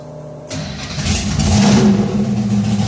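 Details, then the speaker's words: V8 race car with painless ignition box and electrically controlled Accusump oil priming, stalled cold when dropped into gear: starter spins briefly, catches at once, rough lumpy cold idle with throaty low rumble; fires right back up. "It will fire right back up, no problem."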